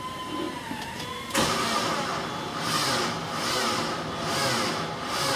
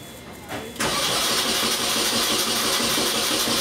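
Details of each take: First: 2002 Mini Cooper 1.6 with new starter and battery: slow labouring cranks in heavy surges about once a second without starting; engine couldn't be turned by hand, caused by a seized alternator. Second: 2002 Mini Cooper 1.6 after the seized alternator was dealt with: brief crank drawing about 100 amps versus nearly 500 before, then catches and settles to a steady even idle, normal cranking.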